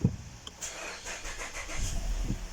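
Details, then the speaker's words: 2019 Mazda 6 GDI petrol engine cranks long before starting, then idles with a stumbling, uneven shake; misfire codes (P0300) on most cylinders; spark plugs and coils already swapped, fuel pump filter changed, throttle cleaned; injectors suspected, weak fuel possible. "والسيارة فيها الترتفة وهذه اهتزاز لمبة الماكينة ولا طبعا لاحظوا عندي هنا أغلبها كلها فيها مسفاير."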